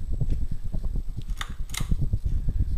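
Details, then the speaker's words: 1988 Canarm 52-inch ceiling fan with wood accents, running on low speed: a low, throbbing hum with a quick uneven pulse, barely any airflow yet quite loud on this speed for no clear reason. "Like, I can barely feel any airflow. However, it does give a nice accent. It's also quite loud on this speed for whatever reason."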